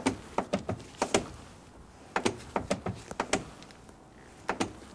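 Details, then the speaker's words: Noisy door check strap, even after installing a new one: sharp uneven clicks and snaps in bursts as the door opens and closes, the strap jumping up and down and hitting top and bottom. "here's that tip I can share with you if you have a noisy door check strapped even after you have installed a new one you know you might open the door can you hear that clicking sound"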